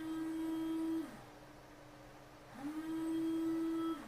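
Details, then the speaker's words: 1992 Subaru Brumby windscreen washer pump with the reservoir found empty: steady low motor hum for about a second, stops, runs again. Normal washer pump run. "If you can hear that, that's the motor running. which is a good sign."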